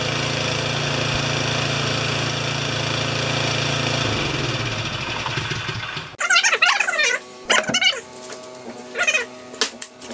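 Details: Craftsman 24-inch 9 HP snowblower that would not run, after repair (weak spark, wiring issues): catches on electric starter, holds steady even drone for several seconds before shutdown; running healthy.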